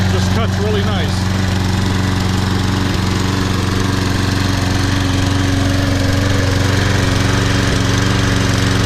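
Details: Toro Super Recycler SR4 mower, model 20092, on a January cold start; it recently refused to start in snow but started first pull today. Steady, even single-cylinder low drone with no misses or surging: normal running.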